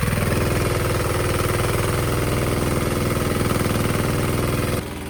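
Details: Sykes GP80 water pump, Lister TR1 single-cylinder diesel, cheap auction buy, first run: firm regular thump at steady idle then cut off, loud with something rattling on the floor; normal idle, charging at 14 V.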